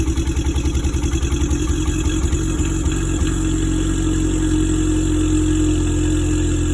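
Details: Ford Mustang EcoBoost with a cylinder 4 misfire; uneven, stumbling idle pulse about three times a second that smooths out as revs rise.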